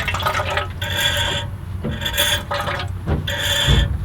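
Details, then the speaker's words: Brake fluid spurts and gurgles into a can in bursts with each pedal press, flowing freely from this brake line on an old farm truck that sat 17 years; the owner suspects the other side's rubber hose is passing no fluid. "i hear fluid in here hear that so we have fluid coming out of this brake line which is really good"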